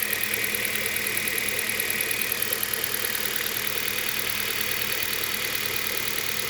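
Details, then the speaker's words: Hyundai Solaris 1.4 petrol engine idling: steady high-pitched whirring rush, with engine vibration. Owner suspects a pulley, although the tensioner, idler pulleys and water pump were recently replaced. Source unclear. "чувство, что шумит какой-то из роликов. Хотя я недавно ролики все менял."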